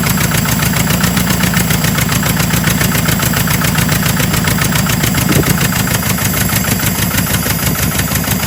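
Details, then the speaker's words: 1976 Porsche 914 barn find, VW Type 4 engine, first run after 30 years: uneven, lumpy idle with faint tapping through the engine note; running rough with a knock, cause unknown, owner thinks it needs a rebuild. "it's got a bit of a knock it's running pretty rough guys"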